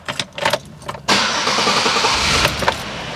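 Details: 1999-2005 Pontiac Grand Am after Passlock 2 security bypass for a no-crank no-start: key jingle and clicks, engine catches right away and settles to steady idle; normal start.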